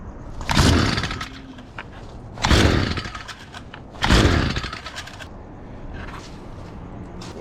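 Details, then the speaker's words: STIHL FS38 line trimmer, not run in about two years, fresh fuel, spark confirmed, carb adjusted: three rasping pull-cord strokes, engine never catches, because the throttle was not set in starting position (lockout, trigger up, flick forward). "I didn't put the uh throttle in the starting position which is basically lock out trigger up flick that forward and that's your starting position"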